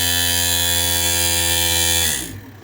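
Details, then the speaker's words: Godrej inverter AC outdoor unit, PC01 error PCB repair, run with fan motor disconnected: steady buzzing hum for about two seconds then winding down as the compressor cuts out shortly after start. "Compressor എടുത്ത് ഒരു 2-3 സെക്കൻഡിനുള്ളിൽ തന്നെ compressor ഓഫായിട്ട് അവിടെ ആ indication കത്തിക്കൊണ്ടിരിക്കുകയാണ്."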